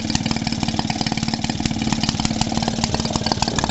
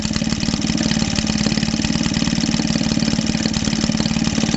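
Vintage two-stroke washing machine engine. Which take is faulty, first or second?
first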